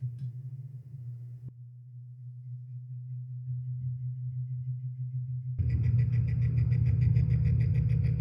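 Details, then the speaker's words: Lasko Wind Tunnel circular fan after oiling the motor: low steady hum then louder rushing run with rattly buzz, not reaching full speed; owner suspects motor burnt by dust and hair or the capacitor; unconfirmed. "Or could it still be the capacitor? I don't know. I'm not sure why it's not getting to full speed."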